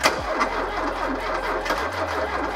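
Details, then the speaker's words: Porsche 924 left in a field 20 years, fuel supply head rebuilt, now on a jumper: starter drags the engine round slowly and laboriously without catching, tired starter motor; slow cranking, weak starter. "that starter is getting so tired you can hear how slowly it's turning over"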